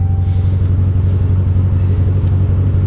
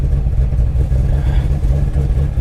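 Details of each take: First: Salvage vehicle with about 200,000 miles, smelling of raw gas with warning lights flashing: deep, uneven thumping idle pulsing about three times a second with a wavering beat and a slight backfire; rough running, cause unknown. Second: Chevrolet Camaro SS at a salvage auction listed as a non-runner: fires straight up into a deep, steady V8 burble with an even beat, no knocks or misses; healthy idle.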